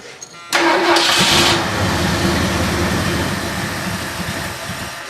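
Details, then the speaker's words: 1978 Ford LTD that won't start after a starter replacement: cranks and catches on starting fluid, roars briefly, then dies instead of idling and won't take throttle; owner suspects no fuel delivery and plans to check the fuel filter and pump. "well she don't seem to be getting fuel cuz I can spray a little bit of starting fluid in there and she'll run for a bit but she won't stay going as you'll see"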